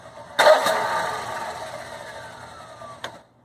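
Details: Generac Guardian Quiet generator model 05244, sat unused about a year, new battery, fresh 5W-30 oil and filter: engine catches with sudden burst, runs rough under three seconds, then dies; fouled spark plug, runs after new plug fitted.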